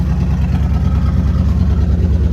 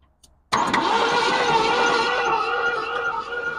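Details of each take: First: 1965 Ford Thunderbird V8 revived after long sitting, ATF in cylinders, smoking heavily from rear: deep steady burble with even beat and no knocks or misses; normal running. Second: 1965 Ford Thunderbird sat for years by the ocean, little to no compression on one bank: catches and runs rough with a loose, fairly regular clack two or three per second; owner suspects a broken connecting rod, unconfirmed.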